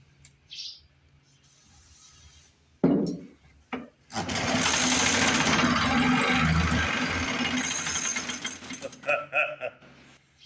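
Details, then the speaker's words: 1950s Lawn-Boy bricktop two-stroke with low compression, after cleaning the points, removing the air filter and heating the cylinder with a torch to help the rings reseal: buzzy engine catches, runs a few seconds, then stumbles and dies; rough running after first start. "lo and behold, it runs. So I guess we'll see if we can't make it run a little bit better."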